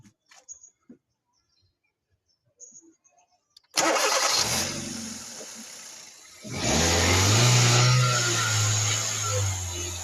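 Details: Hyundai Verna engine starting and idling, load rising as the AC is switched on; an extra noise rides over the idle, source undetermined. Engine noise at idle.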